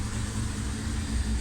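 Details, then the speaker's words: 1999 Kawasaki ZX-6R with cleaned carburetor refitted and mixture adjusted, very cold day: low, steady idle near 800 rpm, even with no misses or knocks; running nicely. "as you can hear she's running quite nicely and took over about 800 rpm and the it's very it's very cold day"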